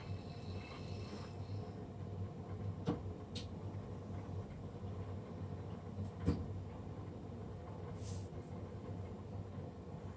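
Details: Navien NCB-240 combustion blower running abnormally loud with a steady, heavy low roar and a few faint clicks; loud combustion fan noise.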